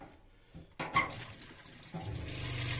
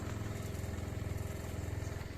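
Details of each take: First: Newly installed Shurflo water pump in a Clemenson camper cell on a Mitsubishi L200 K74, already pressurised; after clicks a steady low pump hum with water rushing from the tap, good flow; normal pump operation. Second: Shurflo water pump in a Clemenson 4x4 camper cell on Mitsubishi L200, first refill after winter, all taps open: buzzing, pulsing about ten times a second but drawing no water, owner suspects pump worn out; running dry, not priming.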